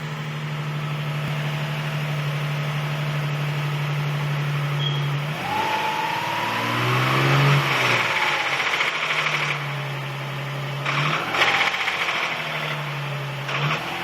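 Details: 2005 Nissan 350Z Track Edition with 35k miles: idles with a low hum, then a quick rev brings a loose, uneven rattle, suspected from the transmission; the car runs and shifts normally, cause unknown.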